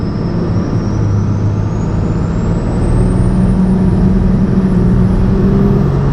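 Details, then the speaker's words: 12-valve Cummins diesel truck with compound turbos, warmed up, after boost leaks sealed: deep drone under load with turbo whistle climbing as boost builds, no hiss of escaping air; sealed and healthy. "all right so uh the truck is feeling really nice so just taking off first gear five pounds just like that"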